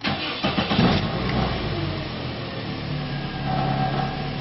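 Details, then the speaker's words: 2001 Toyota Echo 1.5 L after the engine computer ground was fixed (voltage drop down from 2–6 V to 0.008 V). It settles into an even, steady idle with no misses, and the check light no longer flickers. Only a light rattle remains, from the exhaust hitting the underside. "This thing is running very smooth. I don't see that light flickering on and off."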